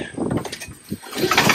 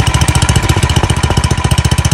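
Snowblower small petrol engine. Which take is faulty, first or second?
second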